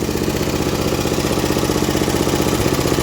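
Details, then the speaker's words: Vintage MTD ride-on mower small single, idling while fuel runs out: even idle with a faint regular tick about three a second; light tappet and lifter noise, clearances not tight. "Tappets are a little ticky, but that's good, that means they're not tight."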